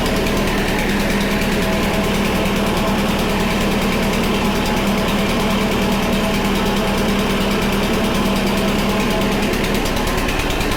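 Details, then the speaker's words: Honda HRC216 commercial-grade mower started on choke in cold weather, after parts were dried with compressed air; the small single runs at an even, busy putter with no misses or surging. It runs normally, but the throttle cable is not working. "throttle cable isn't working huh but it runs so we have that taken care of"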